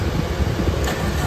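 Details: Suzuki APV (MPV) that keeps blowing a fuse and won't start, key on then start: steady low cranking rumble with no catch or rev rise; cranks but won't fire, fuse blowing from a misrouted wire.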